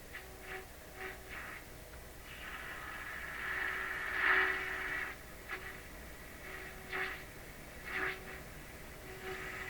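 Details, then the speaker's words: Bendix 526A 5-tube radio during capacitor replacement, tuned across a signal generator test tone: tone swells and fades, peaking at two dial positions; volume still low. Cause of the double peak not identified. "Okay, so I reduced the signal. So you can see there's two spots it tunes in. One, kind of two, kind of sorta."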